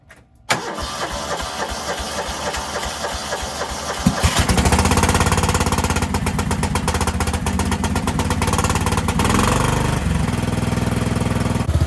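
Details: Cub Cadet 2146 lawn tractor, 14 hp Linamar single-cylinder, sat 3 years, after choke repair; a few seconds of uneven cranking, then catches into a steady thump. Starts and runs fine, though fuel leaks from the rotten carburetor bowl.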